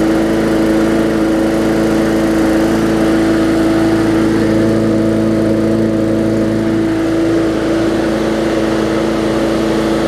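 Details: Bolens push mower with a Briggs & Stratton engine (classic or newer OHV), running after no-start repair work; carburetor gasket fuel-air mix problem suspected. Engine holds a steady, even drone at constant speed with no stumbling or surging; running normally.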